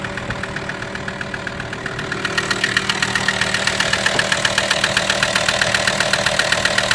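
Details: VW T5 with AXD diesel engine at idle: sharp, even knocks about four per second ride over the diesel idle and grow louder after two seconds. A mysterious engine knock whose source has not yet been found.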